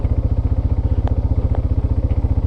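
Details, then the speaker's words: 2001 Yamaha Bear Tracker 250 ATV idling in neutral after pickup coil and stator repair, new plug, air filter and petcock: steady even putt-putt around eleven pulses per second, no misses or clatter; clean normal idle. "right, there's neutral lights on. As you can hear, it's idling really good."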